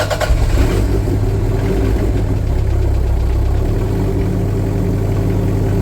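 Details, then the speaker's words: Toyota MR2 turbo with forged 3SGTE engine on a cold start: low, uneven, loping idle that won't settle; cold starts are poor and the revs must be held for a couple of minutes before it idles properly. "the cold starts pretty awful you have to sit and hold the the revs for a couple of minutes to to get it to idle properly it's quite lumpy but that sounds it sounds amazing"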